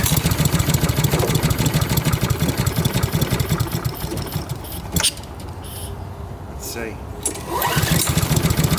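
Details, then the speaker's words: Older Honda Harmony mower (Kohler-clone engine), not run for a long time, started on choke, then choke opened: low uneven chugging that sags and won't reach full speed; rpm seems low, owner suspects possible water in fuel, unconfirmed. "yeah she's struggling moments later oh let's see choke is open she wants to come up it feels like the RPMs are not up so something might be not right with the RPMs"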